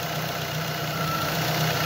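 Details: 2007 Ford Focus petrol engine idling with a slightly uneven, lumpy beat as one cylinder drops in and out; owner reported intermittent power loss; fault traced to a fragile, broken fuel injector connector, and wiggling it restores normal running.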